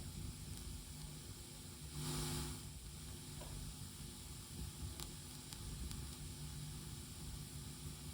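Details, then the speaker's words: Tascam LM-8ST mixer, left channel ST1 output feeding a Presonus monitor by XLR: scratchy crackling and popping as the volume control is turned, also on ST2 and worse on master, regardless of cable or speaker. "You can hear the cracking, popping noise as well. You can already hear it on the single channel, but on the master for sure."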